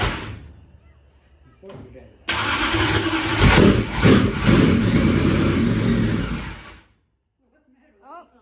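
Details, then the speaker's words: Dirt-track race engine on a repeat start attempt: about four seconds of harsh, gritty whirring as it cranks without catching. The starter sits too close to the flywheel and binds. "we found out the problem the uh the starter is actually too close to the uh flywheel"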